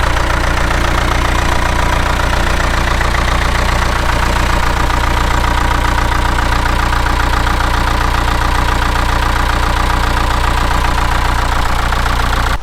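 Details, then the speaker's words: 1998 NMC-Wollard Swinger 3000 wheel loader, 80 hp John Deere diesel with no glow plugs, cold start at about −5 with block heater and battery tender: catches and settles straight into an even, steady idle with no misses or knocks; healthy running. "with the battery tender on it too keeping it fully charged I can come out here minus5 and that's exactly how it fires up"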